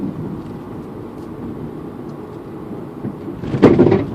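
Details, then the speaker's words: Mazda Protege driving, noise appeared suddenly this morning: quiet rumble then a heavy hollow clunk from the rear, owner suspects a strut or shock; squeaking also heard when braking. "sound coming from the back of my car it sounds like a strut"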